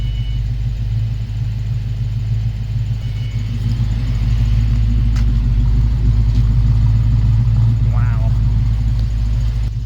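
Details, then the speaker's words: Project Frankenstang V8 after Seafoam treatment and several revs: deep, even rumble holding a steady beat with no shimmy, shake or skip, a clean smooth idle. "look how smooth this thing's running out this thing no shimmy no shake nice good smooth idle"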